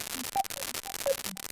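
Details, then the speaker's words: PCM1808 ADC and PCM5102 DAC on a Raspberry Pi Pico audio effect, breadboarded; choppy crackle with chirpy blips over hiss while adjusting feedback and wet-dry pots; owner suspects breadboard noise, cause unconfirmed: audio crackling noise. "and turn the wet-dry balance up, I've got control over the amount of feedback and the balance between the wet and dry signals, but I'm going to have to do something about that noise because it's horrendous."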